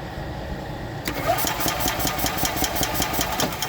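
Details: 2021 E-Z-GO Express L4 EFI golf cart, Kawasaki 400-frame engine: starter spins the engine evenly at about two to three pulses a second but it never fires; crank-no-start, relay voltages being checked.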